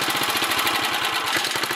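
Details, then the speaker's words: 1964 Sears Suburban 600 garden tractor with leaking sediment bowl: lumpy, uneven thumping about seven or eight beats a second over rattly clatter; rough running, owner suspects carburetor needs cleaning and adjustment. "and then adjustments, but other than that, who knows? little Sissy Blue runs again. It kind of sounds like she's straightening out a little bit."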